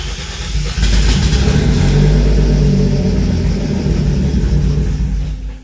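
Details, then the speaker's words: Mercedes W203 turbo on a new, not-yet-tuned ECU, laptop connected for adjustments. Engine catches, runs rough and uneven a few seconds, then dies; it starts but won't keep running. Cause unconfirmed. "because the car does start up but it starts up and then dies and then you have to start it up again"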